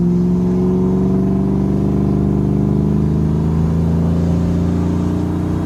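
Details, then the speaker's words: 1994 Ford Mustang GT Convertible automatic, after pan drop and filter, gasket and fluid change that cured bad shuddering: steady engine drone pulling evenly on the highway with no shudder or surging. Smooth transmission under acceleration. "I'll nail it a little bit here when we get to the corner, and you'll be able to see that, and here, probably hear it better, that there's no issue with the transmission at this point. Felt a shudder, not even once."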